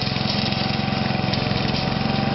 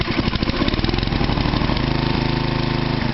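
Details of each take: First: Toro 832 ride-on mower small single-cylinder engine starting after a new carburettor was fitted: it runs with a slightly lumpy, uneven beat, holding speed but not settling smoothly; rough running. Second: Toro 832 ride-on mower single-cylinder engine with a new carb, battery recharged, engine not that hot: catches and settles into a steady, even putter with a brief throttle change; normal start-up and idle.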